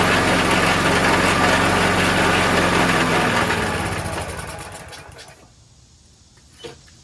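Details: Troy-Bilt 22-inch self-propelled mower with Briggs 4HP Quantum engine, after repair: single-cylinder runs with even, steady beat for a few seconds, then winds down to silence; sounds healthy.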